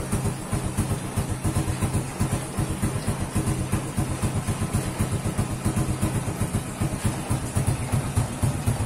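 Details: Honda Revo motorcycle idling after the old exhaust was replaced with a new one. Even low putter, about four pulses a second, steady without knocks or rattles; normal smooth idle.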